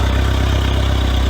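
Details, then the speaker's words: Honda 115hp fuel-injected outboard on muffs, after flushing deteriorated fuel from the overflowing VST and replacing the filter. It started and shut right off from air in the system, then restarted to a steady, even low idle with no misses; so far it sounds okay. "So you'll notice it started and shut right off. It's going to have air in the system. It's going to bleed through to the fuel injectors and through the return line and stuff. So far she sounds okay."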